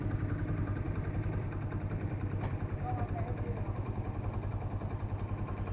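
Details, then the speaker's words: Hero Passion X Pro i3s after timing chain fitting and complete work: even, steady idle putter about three and a half beats a second with no tapping or rattle; engine silent and clean like new. "देखिए इसमें से हल्की सी भी कोई भी sound नहीं है।"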